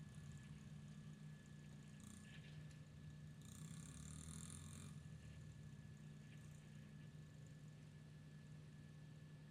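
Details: Honda XR50 small single-cylinder after head gasket repair, running at a steady, even idle with a low smooth beat and no misses; exhaust silencer full of oil, likely sat upside down, may smoke first rides; normal idle.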